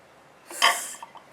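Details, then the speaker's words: Royal Enfield Bullet 500, kickstarter brought round until it stops, then compression release pressed: short soft hiss of air about a third of a second, marking top dead centre, the parking position to prevent wet sumping. "So you bring the Kickstarter around until it stops, and then you hit the compression release until it makes a little pss sound like this."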